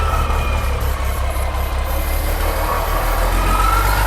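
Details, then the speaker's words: Long-sitting 24-volt diesel: steady starter cranking about three compressions a second, no firing; crank no start, crew suspected no fuel, actual cause was stop/kill switch left on. "Yeah, has it got, I don't think it's getting fuel. I don't think it does either."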